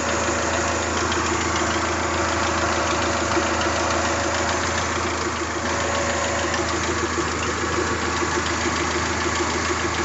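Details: Toyota 3S-GTE four-cylinder at idle: steady idle with a light, fast ticking rattle on top; minor tick, cause not identified.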